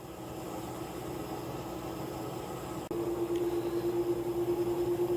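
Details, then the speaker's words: Old Kenmore front-load washer, original design, noisy in spin: steady tone stepping up as spin climbs toward 400 rpm with a rough pulsing churn; motor control board checks good. "rpm reaching six hundred rpms at this time can hear rear bearings play between outer shell and drum"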